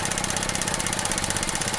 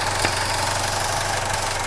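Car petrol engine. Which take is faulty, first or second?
second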